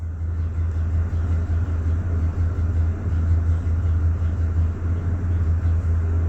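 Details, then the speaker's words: 2007 Ford F350 Triton V10 with no check engine light idles with a deep, uneven, stumbling lope; a cylinder contribution test shows cylinder two negative, misfiring, clearing briefly with a little throttle then missing again. "Now you see cylinder two negative. That means it's missing, not firing. But probably since it's that close, you'd probably give it a little gas. See, it clears up then it goes back to missing."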